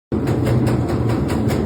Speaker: así suena su lavadora cuando está centrifugando fíjense lo que pasa con esta amigos su lavadora les hace esto cuando está centrifugando yo le digo cómo repararlo fíjense vamos a cambiarle los amortiguadores